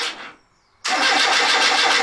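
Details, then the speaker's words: Austin Metro after fitting a new alternator, battery and belt: short crank, then a clean start into a steady, even idle with no misfire or charging whine; 14.63 volts charging, no charge light. "no charge light sounds good well i'm pretty happy with that"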